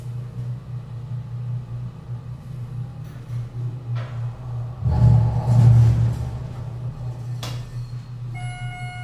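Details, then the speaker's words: Schindler 300 hydraulic elevator in a poorly maintained parking garage, car travelling up to the top floor: a deep pump drone that swells into a strained, uneven surge midway, rough and labouring; cause not confirmed. "Oof. It was pretty disgruntled there."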